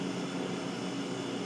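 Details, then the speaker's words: Household refrigerator that was warm, not cooling and ticking, after a new compressor start relay was fitted and the old overload switch kept: relay clicks on and off as it should; low, even hum with steady fan tone, no ticking or stalling; compressor running normally. "I've got the new relay in and I've got the new overloads or the old overload switch in they said I didn't need to replace that I may get a new one anyway and just put it in the relay seems to be clicking on and off the way it's supposed to"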